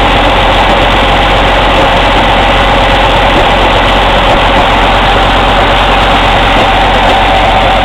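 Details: Cummins ISX CM2250 diesel idling during regeneration: loud, sharp, breathy chuffing from the intake, louder in person, with no mechanical engine noises; owner suspects turbo chuff during regen.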